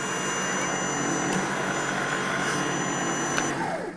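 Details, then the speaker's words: Allett Stirling cordless cylinder mower, reinforced chassis with strut, 6-blade reel fitted, mower lifted at rear: smooth even whirring from the freely spinning reel with no rattle, winding down; spindle runs clean. "I put the 6-knife spindle in and now you can hear that nothing rattles at all."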